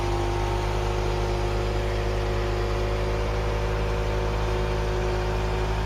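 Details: Ford Cortina Mk3 four-cylinder, sat in a field since 1983, started after charging the battery and filing the points: catches and settles into a steady, even idle with no misses or knocks; normal idle.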